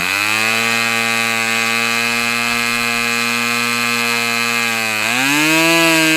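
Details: Customer's Fox twin-cylinder glow engine on probably its final run of the day, outdoors as it cools off: steady high buzzing run with evenly spaced tones, smooth pitch rise near the end as it revs; healthy, well-tuned twin.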